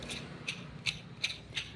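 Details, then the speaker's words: Mahindra with a burst clutch cylinder: sharp metallic ticks about three a second over low idle hum, stopping when the clutch is engaged and returning when released, from a worn clutch release bearing needing replacement. "असा आवाज तुम्ही जेव्हा clutch engage करता तो आवाज थांबतो हा आवाज येतो आणि क्लच सोडल्यानंतर असा बेरिंगचा आवाज येतो"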